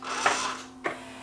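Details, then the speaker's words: Yamaha 5-disc CD changer after loading belt replacement: the motor now has plenty of torque and no slipping hum. A short motor whirr and firm clunk as the tray opens and closes is ordinary mechanism noise. "These things are noisy, these machines, when they open. When they open and close, these things are relatively noisy anyway, so."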